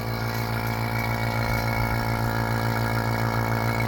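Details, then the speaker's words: Toyota 4Runner 2nd gen air conditioning rebuild: vacuum pump running on the system, steady even low hum with fast pulse, moisture boiling out; no hiss at first, though a hiss was later heard and a leak suspected. "So that's pulling water out of the system. I don't hear any hissing. You can see we're pulling a vacuum."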